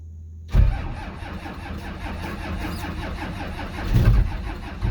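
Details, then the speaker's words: Cummins 12-valve diesel in a 1949 Chevy cab-over, sat for months under snow at about five below zero, no preheater: cold cranking with a few uneven chuffs as cylinders fire a little, never settles into a run. "uh well she's firing a little bit so there's a chance"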